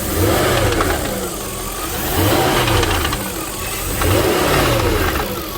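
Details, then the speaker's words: 1999 Jaguar XK8 convertible at 195,000 km, timing chains and tensioners done 100,000 km ago; revs blipped every two seconds with a light metallic rattle on deceleration from the rear of the engine; source unknown. "I bought it a little bit concerned what that rattle is on De acceleration sounds like it's coming from the back of the engine um it it could be timing chains"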